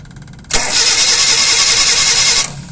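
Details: Suzuki Carry Futura, carbureted, cranking with no start during a spark test at the center coil lead: about two seconds of fast, even starter whir with no firing; a snapped timing belt leaves the distributor still, so there is no spark; fix is a new timing belt.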